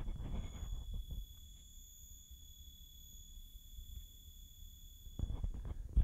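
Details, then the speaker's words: Battery charger for the URUAV UR65 micro drone, charging at 200 mA: a faint, steady, very high-pitched squeal under quiet room noise; the charger that came with the Snapper 7 does the same; cause unknown. "it has a horrible high-pitched squeal to it"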